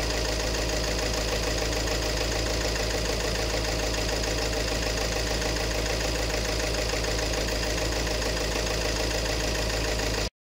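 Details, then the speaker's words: 2018 Peugeot 3008 diesel at idle: loud, uneven knocking clatter from injector number one, which reads 1.17 versus about 0.78 on the other three. A fuel system problem was diagnosed. "ah yung injector number one ang merong problemas kasi yung tatlo almost magkakaparehas sila"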